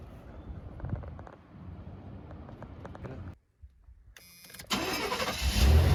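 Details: Chevy G20 conversion van after replacing the coolant temperature sending unit (code 44, the lean one from a non-firing injector), fresh battery, no check engine light: quiet crank, catches at once into an even, steady idle; starts healthy.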